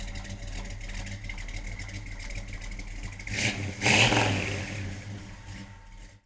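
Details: 1968 Chevrolet C10 pickup, frame-off restored, about 100 miles on build, 383ci V8 stroker, Edelbrock intake, Demon carb, Flowmaster dual exhaust: deep even burble, sharp rev blip climbing and settling cleanly, no knocks or misses; normal start, idle and revving.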